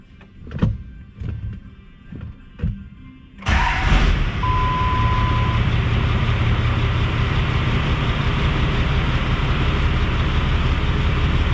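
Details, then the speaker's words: 5.9 Cummins 12-valve diesel truck with new 4K governor springs, after an idle adjustment: a few clunks, then a low, steady, even, responsive idle with no hunting. The owner says it is the best idle it has had, though a bit low. "That is a much better idle than it's ever had. Look how low it's idling. Responsive."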